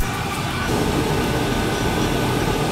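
A low steady roar comes in under a second in and holds evenly, like a burner lighting and firing normally.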